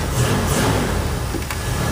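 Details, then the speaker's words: 1979 Ford F-150 4x4 with 460 V8, FiTech fuel injection and automatic, starting right up and running. Deep, even V8 rumble swelling briefly with throttle, no knocks or misfires; very responsive, healthy engine. "Tilt steering column. [Applause] starts right up. Very responsive."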